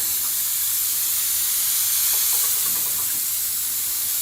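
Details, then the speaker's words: Home central-heating radiator, boiler pressure just over 1 bar: steady sharp hiss from the bleed valve, still air and no water, while heat gradually returns; trapped air in radiator being bled. "Still air coming out, and yeah, I can feel the heat."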